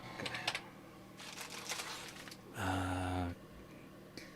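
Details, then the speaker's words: 486 PC build on a Zeos Rattler PCI motherboard at power-on: short bursts of quick clicking and a brief buzzing step from the floppy drive during startup, then it settles; normal floppy seek. "all right let's switch up our camera I hear the floppy Drive oh"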